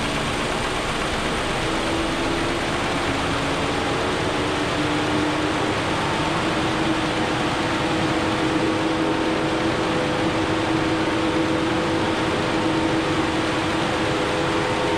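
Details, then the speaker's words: 2013 Audi A6, just revived after being a non-runner, at idle: the cooling fan runs at full speed with a loud steady roar for no reason the owner knows; the engine seems okay, and a possible one-cylinder misfire is unconfirmed. "The fan is going crazy, but I don't know."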